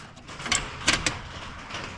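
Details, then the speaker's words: 1973 Chevy Nova transmission parked 37 years: sharp dry clicks as selector moves through range with a lot of linkage play; park not engaging, driveshaft spins freely; something suspected broken inside, not confirmed. "it's it's clicking through but there a lot of play there so I got to I got to get into this pan to see what's going on with the shift linkage"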